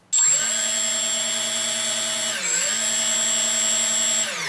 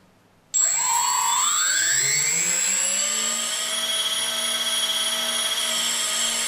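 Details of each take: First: 3D Robotics quadcopter with APM 2.5 board on firmware 2.9.1 and 3DR 20 A ESCs, armed after calibration: motors jump straight to a steady high whine, dip once, then drop off with no gradual change; suspected board, software or configuration fault. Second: 3D Robotics quadcopter, APM2.5 board, Arducopter 2.9.1, during ESC calibration step: four motors whine up smoothly with throttle, hold even pitch, wind down cleanly; progressive throttle works here, though throttle control fails otherwise.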